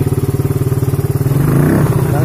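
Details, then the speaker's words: Suzuki Satria FU third generation, hard to start in the morning, running without a battery: fast, even chuffing idle, already slightly high, that only creeps up and flattens when the throttle opens; won't rev without the battery. "jelas RPM nya ndak mau naik Kang Bro karena nggak ada akinya ini."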